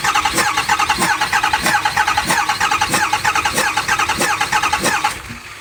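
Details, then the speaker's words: 2008 Ford 6.4 Powerstroke diesel with a cylinder contribution code, 10-second crank compression test on cylinder 6: steady loping beat about one and a half per second; cylinder 6 reads 50 psi versus 400 psi on cylinder 8. "Alright. Same thing, 50 psi. Well, that's exactly why you don't look at it and think that the scanner is telling you the problem."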